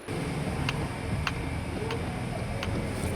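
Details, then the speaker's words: Toyota Alphard: sharp regular clicking about every two-thirds of a second while the steering wheel is turned, over low engine and road rumble; also a jolt through the steering over speed bumps. "Yang mana keluhannya yaitu setirnya saat diputar itu berbunyi. Bunyinya itu kletek-kletek kayak gitu, Teman-teman."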